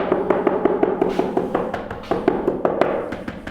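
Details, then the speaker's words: Tap test across newly installed wood-look porcelain floor tiles: even taps give a high hollow clack with no solid thud; the tiles were not stuck down with enough glue. "Yeah, it sounds hollow underneath."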